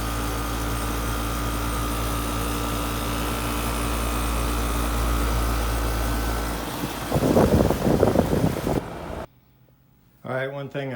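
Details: No-cooling call, top floor not cooling: outdoor AC condenser restarted after replacing the bad, bulged original capacitor; steady even hum, low drone and fan whoosh, running smoothly and normally.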